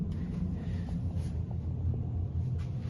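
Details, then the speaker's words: GE washer after replacing the seized tub, bearing and spider assembly (original complaint: loud drum banging): normal full-speed spin with a steady, even low rumble, no banging or grinding, no leaks. "Uh washer is spinning back at full speed again. Uh we made sure to test it for leaks. Nothing yet."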